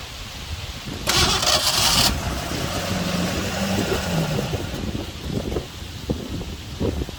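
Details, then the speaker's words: 1984 Ford F150 with a 5.8 L 351 HO, first start in 20+ years after a new timing chain, fed fuel poured into the carb bowl. It catches briefly, then sputters and fades. The idle circuits are suspected bad and the carb needs a rebuild. Oil pressure is good. Finding: stalls, won't idle. "I went over and tried to put it in gear, but it's not running long enough. What we need is some kind of external fuel supply."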